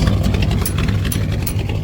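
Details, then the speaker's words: 1965 Chevrolet C10, 283 small block, after swapping points ignition for HEI, started with no choke and no pedal, slightly slow to start; deep, steady idle with light clatter on top; normal idle. "No pedal, no choke. Was a little slow on the start up. That hi has made a difference."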